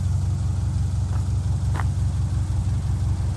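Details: 2002 Subaru Outback Legacy GT, 2.5 SOHC, manual, after new engine swap; smooth, steady low idle with even pulses, no knock or tapping; normal healthy idle.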